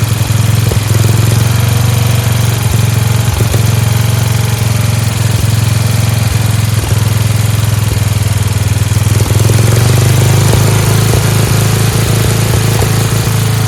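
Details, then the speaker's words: Free Dayton lawn tractor with 11 hp Briggs single-cylinder engine, running on its own after choking: smooth, even drone at a slightly high steady idle with no misses; a spring is disconnected; healthy engine, "like a hot rod." "It does sound like it's a little fast. There's a spring over there that's not connected. Thing's great. Sounds like a hot rod. Fantastic."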